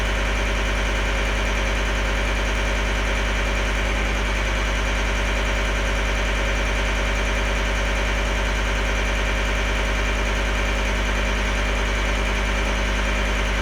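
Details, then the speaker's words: 2012 John Deere 333D skid steer, remanufactured long block diesel on first runs, warming up to temperature: steady, even idle with no misses or surging; running smoothly after possible moisture in connections was cleared. "it seems happy now I'm going to let it get up to Temp open my shop up so I don't aixi myself and just let her get warmed"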